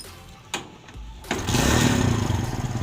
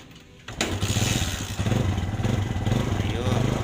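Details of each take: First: Kawasaki Barako 175 single-cylinder motorcycle with a hard-starting problem: a couple of cranks, then it catches quickly and settles into an even beat at about four pulses a second; normal start and run. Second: Kawasaki Barako 175 single-cylinder motorcycle that needs ten kicks to start: catches after kicking and settles into a slightly uneven, lumpy idle; hard starting, cause unclear.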